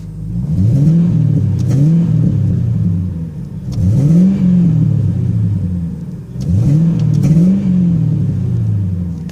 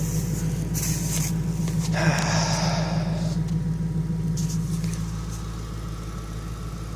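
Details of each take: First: Engine warming up, revved repeatedly through a glass pack exhaust: rising and falling revs with pops and crackles on throttle closing; backfiring while cold, sound expected to come out more once the glass pack warms on the highway. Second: 1994 Ford Thunderbird V8 at idle, not yet warmed up, running old gas: steady even idle with low exhaust burble and faint fast ticking from noisy fuel injectors; otherwise healthy.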